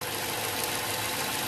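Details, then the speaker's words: 2008 Ford Fusion 2.3L with P0171 stopping the EVAP monitors: steady idle with constant airy hiss over a thin engine note; small vacuum leak under the intake, suspected at the PCV, located with brake clean and short-term fuel trim. "hey y'all i don't know if you can hear it but we have a small vacuum leak coming from somewhere keep getting a coat of p0171"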